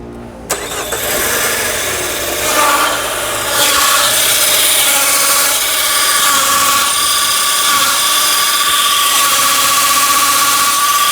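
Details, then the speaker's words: Peugeot 308 arrived on a tow truck, engine started and clutch pedal pressed: a steady high whine settles in over the idle and persists; clutch release bearing noise, a chronic Peugeot/Citroën fault. "neném tá pisando no pedal de embreagem já tá fazendo muito ruído"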